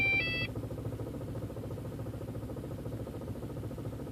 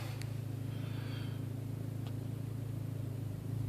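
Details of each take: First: 1.8t aww rough idle Second: Audi/VW 1.8T engine: steady, even low idle rumble with smooth regular pulses, no misses, knocks or hunting. Normal idle.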